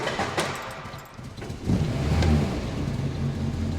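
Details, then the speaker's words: Morris Minor after engine swap replacing the worn 200B engine, first start: handling rattle, then it cranks, catches and settles into a rough, steady run on choke, sounding better once the choke is pushed in; a normal first cold start. "hey there we go fantastic it sound a lot better once the choker has being pushed in of course"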